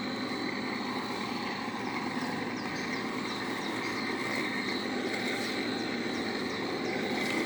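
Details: LX812i mower engine running steadily at constant speed, a smooth, healthy hum with no knocks or uneven beats; this is the normal engine sound, as opposed to one with slight bearing damage.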